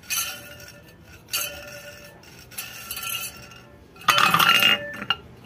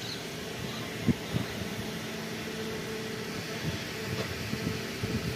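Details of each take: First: Ceiling fan opened for repair and its bearing spun by hand: short bursts of tinny, clinking rattle from a dry, noisy bearing, later greased and serviced instead of replaced. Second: Ceiling fan after bearing service (both bearings greased and repaired, not replaced) that had made noise before; now a soft, steady low hum with no bearing growl or squeak: normal quiet running.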